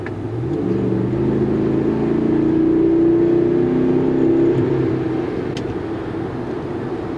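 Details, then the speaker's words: 2013 Dodge Ram 5.7 Hemi V8 after a spark plug change, driving: smooth, even climb in engine pitch with no stumble; the acceleration lag and sputter from before is gone, sounds like when bought. "sounds like it did when i bought it we're gonna call that good"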